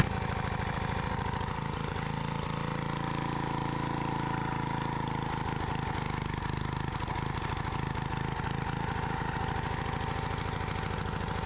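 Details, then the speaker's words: Edger engine found in the trash (previous owner said it burns too much oil; oil overflowed when checked) runs uneven and lumpy with a wandering beat after carb fuel/air screw adjustment; rough running, screws probably need more adjusting. "Doesn't sound like it's running the best, but I probably got to mess with some of those screws."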